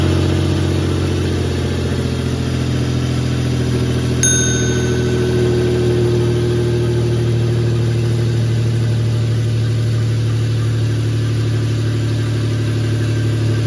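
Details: 1996 Toyota 4Runner 3.4 5VZ-FE, first cold start after head gasket and cylinder head replacement with timing set: engine catches and settles to a steady, even cold idle, smooth low rumble, no knocks or misses; healthy.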